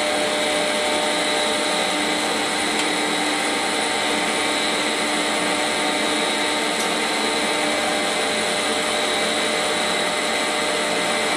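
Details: Quantel Paintbox on power test during restoration, brakes off: steady even fan rush with constant hum and faint whines, no rattles or bearing noise; fan and drive running normally.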